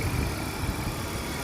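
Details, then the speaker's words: Car engine idling after oil and filter change with correct weight oil, previously chattering like a diesel: low even idle, steady beat, no chatter or ticking; smooth normal idle, check engine light still on. "it was chattering like a diesel and now just listen to it super smooth super smooth"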